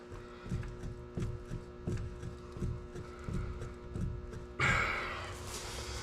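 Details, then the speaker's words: Polaris RZR XP 1000, passenger front wheel rocked top to bottom by hand: dull repeated clunks. Slop from the known common problem of an undersized hub fit in the wheel bearing bore; a repair exists. "so i know already that that's in my wheel bearing or my wheel bearing hub"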